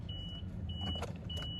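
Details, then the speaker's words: 2005 Toyota Sienna on key turn: three evenly spaced warning chimes over a low hum, and the engine never cranks; park/neutral safety switch is fine and a failing starter is suspected, fuses to check. "it just won't start. It won't even sound to start."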